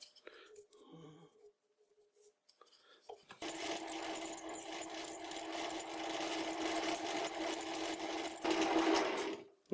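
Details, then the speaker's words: Large drill bit on a lathe drilling a Ferm mini grinder holder: harsh continuous screech, shrill squeal and rough chatter; drilling badly, more lubrication suspected, cause unconfirmed. "Now I'm gonna try a smaller drill first, because this sounds, well, terrible."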